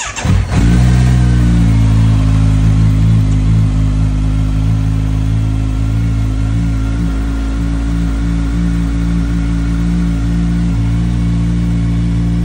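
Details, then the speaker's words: 2022 Kawasaki Z900, 18 on the odometer, after damaged ECU replaced with a different-generation unit and immobilizer programmed, fuel pump primed: quick crank, catches and settles to a strong steady idle; normal start and running. "so the bike the bike is started okay but as I said this is the different generation ECU"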